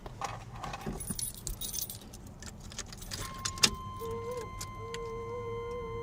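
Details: 1993 Chevy S10 2.8 TBI, unused for a month, running oddly: after starting, a thin steady whir with a wavering lower note; a recurring electrical whirring noise, owner suspects a short, source unknown.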